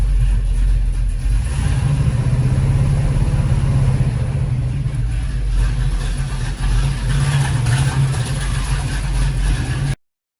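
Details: 1974 Pontiac GTO with Pontiac 455 V8 and freshly rebuilt carburetor, first running, choke held open: deep, steady V8 idle with a slightly loping beat, no misses or knocks; running cleanly.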